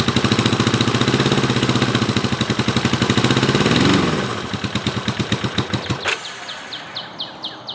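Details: 1970 Honda CB450 twin, barn find parked 20 years, first ride after revival, now with a battery; revs pulse unevenly, sag and stumble under throttle, then die out. Engine bogging, cause unknown.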